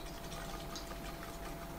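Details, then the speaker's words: Cooler Master ML240L AIO after freezing, about five minutes out of the cold, pump powered: quiet uneven watery gurgling and sloshing over low pump hum, more sloshing than before, no leakage found; coolant moving again. "five minutes oh there's quite a bit more sloshing yeah there's quite a bit more sloshing in there than there was"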